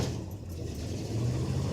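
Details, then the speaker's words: 1984 Chevrolet pickup V8, cold start on a cool drizzly day after sitting several days, pedal pumped: brief cranking then catches into rough, loping cold idle; started easily, normal. "I like this boy I'm proud of that hadn't started as I said in several days"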